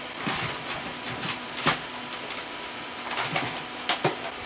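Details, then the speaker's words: Power Mac G5 during a Linux install, side plastic air deflector not refitted: loud steady rushing whoosh with faint hum and clicks; fans running at full speed because the deflector is missing. "crap the fans are going high cuz I didn't put the little plastic dad back in"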